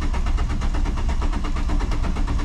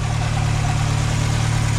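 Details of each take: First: Mk2 VW Jetta after new coolant hoses, sat about five months with a weak battery: steady even starter churn around two beats a second, turning over but never catching; owner thinks it must build fuel pressure. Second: Mk2 VW Jetta after new coolant hoses, having sat about five and a half months: even, smooth low idle with a regular pulse and no misses or knocks, coolant temp holding, no leaks; healthy idle.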